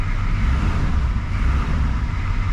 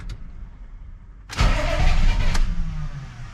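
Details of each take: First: Chevy C20 6.2L diesel with DB2 injection pump after fuel cut-off solenoid replacement, running to purge air and revved: deep, even rumble rising and falling smoothly with throttle, no knocks or misses, belt noted slightly loose; sounds healthy. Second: Chevy C20 6.2L diesel with DB2 injection pump, just after fuel cut-off solenoid replacement with glow plugs cycled: starter churns about a second then drops off without catching, crank-no-start, owner suspects air in fuel since cover was removed.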